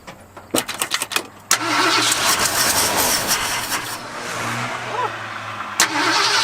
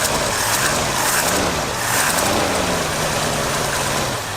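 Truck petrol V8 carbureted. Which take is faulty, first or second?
first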